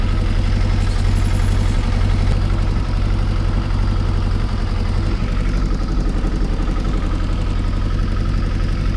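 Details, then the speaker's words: Cold Kawasaki ZXR750 H1 motorcycle idling unevenly with a lumpy, pulsing beat and occasional backfire; gauges show carburetors far out of synchronization, balancing done after warm-up. "See on the gauges, carburetors are absolutely miles out of synchronization. Not surprising. It doesn't sound right. It's back backfiring every so often."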